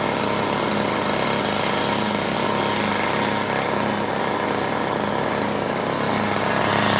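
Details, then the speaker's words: $5 yard sale two-stroke curb edger, mock-up gas tank feeding the carburetor: high buzzy note holding steady speed on half choke without dying or surging; running healthy. "Hey, we got that little thing going pretty good."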